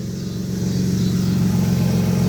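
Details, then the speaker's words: 2007 Nissan Pathfinder 4.0 V6, 5-speed automatic, heard from underneath the car after a transmission pan drop, screen change and fluid change: steady even drone with the earlier rev-rising whine gone; normal, quiet transmission running. "but you as you can see no more wine you remember that we was hearing and uh can't hear it up in the engine and i go down here underneath the car"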